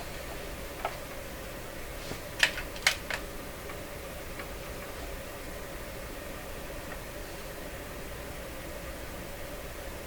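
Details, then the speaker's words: Northern Electric 5300 five-tube radio during alignment check: faint hiss with bunched scratchy crackles; crackling noise, suspected from a control slider leaving the end of its track. "so that sounds like what's happening is the slider is leaving the end of the runway I'm just moving off onto the good enough though okay a little lower on the signal strength here"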